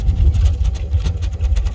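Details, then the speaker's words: 2000 Dodge Ram 3500 van, 5.9L Magnum V8, automatic, 138,000 miles, check engine light on: starts easily then very low idle surging and stumbling, whole engine shaking; also loses power around 35 mph, owner suspects fuel pump. "Fires right up. But then here's this really low idle. I'm glad it showed up immediately because it hasn't always done that. You can see the shake in that boozer. The engine, everything's just shaking because it's so low idle."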